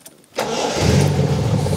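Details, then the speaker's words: 1977 TVR 3000M, 43 years old, 3.0-litre Ford Essex V6 of about 160 hp: short crank, then the engine catches almost instantly and settles into a steady, even idle. Normal quick start. "Now that starts very quickly."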